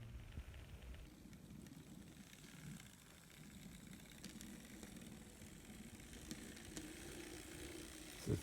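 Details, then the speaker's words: Restored N scale model locomotive, rebuilt from leftover and donated parts: very soft, low steady rumble with faint rail clicks and no grinding or whine; runs nice and quiet, normal running. "And now let's test it on the bench. Oh, listen to that. It sounds so happy."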